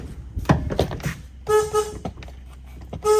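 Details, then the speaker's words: 2008 Chevy Duramax truck, front-mounted replacement horn pulled from another vehicle: two short blasts with a thin, buzzy, weak tone; this junk horn sounds poor. "Okay, so the last set of horns, this one, was really junky. Sounded like a clown car."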